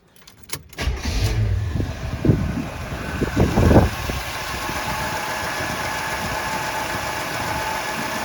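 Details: 1975 Oldsmobile Delta 88 Royale V8 after Quadrajet carburetor rebuild, choke and air cleaner refitted: short burst of revs, then smooth, steady, even idle; running normally.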